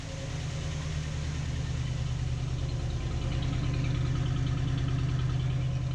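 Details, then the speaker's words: 1955/56 Oldsmobile Rocket 88 barn find with the 324 V8, first run after sitting 22 years: low, steady burble at about three beats a second, no knocks or misses; clean idle, though a sizeable vacuum leak is suspected. "Alright, she's idling. That's awesome. Sounds good."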